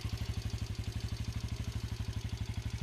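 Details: Kuba X Boss 110cc single-cylinder motorcycle, restarted with a slight throttle blip: even, steady putter roughly twelve beats a second, no knocks or rattles; healthy idle.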